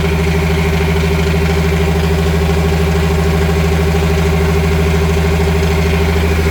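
Steady low idle with a light, fairly regular rattle about twice a second riding over it; rattle in the sterndrive, cause unclear.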